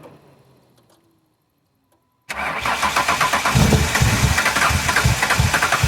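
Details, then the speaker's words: Ford Windstar with a makeshift vacuum plug on the intake: sluggish starter churning about three turns a second without catching; battery has some voltage but not enough, so a jump start is needed. "and that battery's got some voltage but not enough so we are going to use the monte carlo support vehicle"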